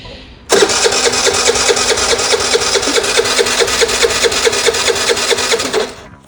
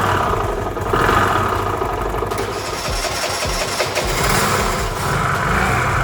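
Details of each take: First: Piaggio Vespa 50 LX scooter with brake held, fuel seen in the vacuum-pump hose: starter spins it at an even beat, about two turns a second, for five seconds without firing. Cranks but won't start; cause suspected, not confirmed. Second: Restored Piaggio Vespa 50 LX two-stroke scooter, first cold start after carburetor adjustment and vacuum fuel-line refit: catches without throttle and holds a busy, even buzz with light throttle blips; normal start and revving.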